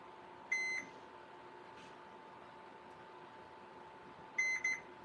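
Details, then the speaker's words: Live meter continuity test across motor leads on a model 3733: short high beeps confirm an open thermal fuse as the culprit; owner then bypasses the fuse for testing, proper fix being a replacement thermal fuse. "yep so that's our culprit it's a thermal fuse just as I thought"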